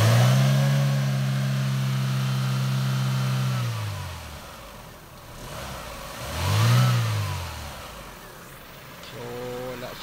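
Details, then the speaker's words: Chevrolet Aveo, AC not cooling: engine revs with a steady drone; compressor clutch plate engages and turns but there is no compression, pressure stayed around 7 after adding refrigerant; fix is a new compressor, flushing and a new drier. "so naka-on naman ng kanyang compressor y so umiikot naman ang plate niya pero wala siyang compres so palit tayo ng compressor"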